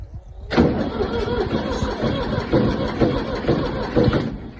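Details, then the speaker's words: Ford 3000 diesel tractor that wouldn't crank, voltage dropping to 2.5 V on the starter, after a dead battery was swapped for a good one: brief crank, then it catches straight away into a steady, evenly firing diesel clatter; starts and runs fine. "anyways I'm just happy just cranking back up"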